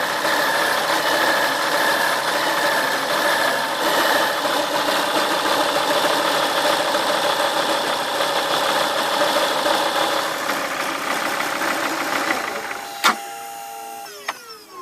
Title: Focus ST mk2 power steering pump strange noise